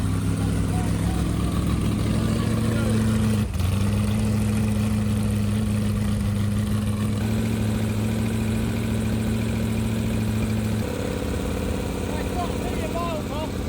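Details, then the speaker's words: 388 Small Block Chevy with vintage Hilborn mechanical fuel injection and MSD ignition, first startup after fixing fuel leaks; steady, even V8 lope at one pitch, no misses or knocks, clean healthy idle. "It sounds good. Yeah, it does. I like it. It does."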